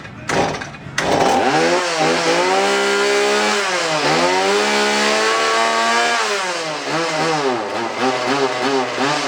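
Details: Two-stroke chainsaw with bar and clutch removed after cleaning for a bog problem, choke taken off once it kicks: fires and revs cleanly, holding a high strong scream through several blips without bogging; normal running.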